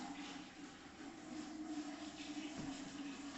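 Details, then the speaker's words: Underfloor heating manifold being filled through 15mm push-fit pipe, only zone 4 opened: steady rushing hiss with faint constant tone of water running in the pipes, no visible leak; normal water flow during system fill. "There's a really disconcerting sound. You can hear water running."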